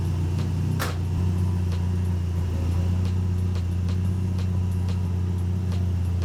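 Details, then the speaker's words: Mk III Ford Escort, jump-started with choke after long storage: deep, loud, unmuffled drone at steady idle with coarse throb; silencer baffles blew out previously, making it sound like a race car. "all the baffles blew out of it last time all the baffles blew out of it yeah that's why it sounds like a race [Music] car"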